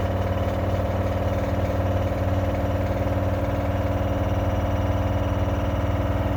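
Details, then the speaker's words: Lava e seca LG CV5011TS4, less than a year old, spin cycle: loud steady drone with rhythmic thump about four times a second; owner nearly sure a shock absorber failed and is loose, letting the drum knock; refitted with pliers. "eu vou ligar a máquina agora para você observar o barulho que ela está fazendo e eu tenho quase certeza pelo tempo que a gente usa lave seca aqui em casa eu tenho quase certeza que esse barulho aqui é do amortecedor"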